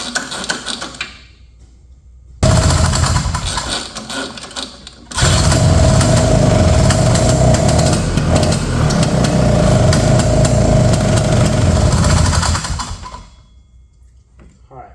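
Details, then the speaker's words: 1970 Ski-Doo Olympique 335 two-stroke snowmobile, rear jacked up, choke off, with gas shooting back out of the carb while the high- and low-speed jets are turned in: rough, blubbery running with a steady low drone and uneven beat for about eight seconds. Running rich. "I'm kind of turning these uh high speed and low speed jets in. We're getting a lot of gas shooting back out."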